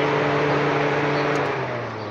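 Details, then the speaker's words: 2010–2016 Nissan Tiida whose radiator fan would not run on high speed, hurting A/C performance, tested with a relay: steady whirring hum whose pitch shifts partway as it goes from low to high speed; high-speed fan working. "como pueden ver ahí está ha prendido la band y con la baja y ahí está la alta velocidad"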